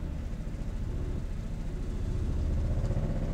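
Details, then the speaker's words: Bus generator just started after carburetor cleaning and a long time unused: it chugs low and unsteady, the beat wavering; running rough, which the owner expects to even out. "so apparently we need this run a little rough it'll probably even out"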